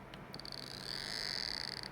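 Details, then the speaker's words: 28BYJ-48 stepper motor on ULN2003 driver with Arduino Uno and AccelStepper, sound from a coil signal wire: high steady buzzing tone with quick ticks at start and end, stepping fast and evenly; normal operation. "signal going to the one of the coils just makes gives you an idea of how fast it's going you can hear the clicking and it will do that all day"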